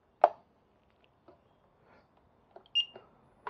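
A few quiet handling clicks, then one short, clean high beep at switch-on; the wheel powers up normally.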